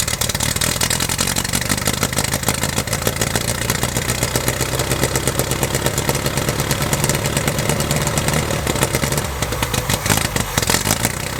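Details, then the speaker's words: 1969 Lotus Europa S2 barn find, stored 15 years, restarted on starter fluid and a little gas: crisp, even exhaust pulses with lively clatter, running smoothly; earlier water likely just in the header. "pretty nicely she's running pretty good there too I think there was just water in the header that thing sounds good huh"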